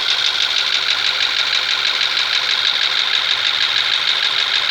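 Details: Skoda Superb with a CDAB engine, knock present for 7,000 km while the car still drives normally: sharp, regular ticking knock about three times a second over a steady idle with no low rumble; cause unknown.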